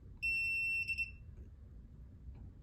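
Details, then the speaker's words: ULTRALOQ U-Bolt Pro smart deadbolt, replacement unit being removed from the app during troubleshooting: one clear high beep about half a second, then two quick chirps; normal removal beep. "lock is beeping as well which is fine and that's it we have nothing"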